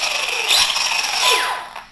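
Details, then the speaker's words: Kyosho Mad Van VE RC car after ESC calibration (end points set, brake power raised from 25 to 50); high brushless motor whine rising and falling smoothly in short bursts, no grinding or stutter, normal running. "turn it back on and then what we want to do is just check obviously the car's working fine"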